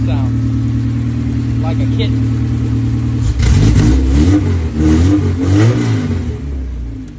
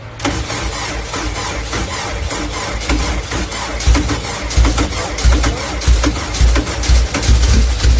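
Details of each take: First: K24-swapped dirt car after replacing a dead injector with a stock one: even idle, then several clean throttle blips rising and falling smoothly on all four cylinders with no miss or stumble. Normal running. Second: Honda K24-swapped dirt car on its first start with a K-Pro ECU: fires and stumbles with an uneven lumpy beat, no idle, one cylinder missing; coil swap didn't help, noid light showed the injector getting power; misfire from a dead fuel injector.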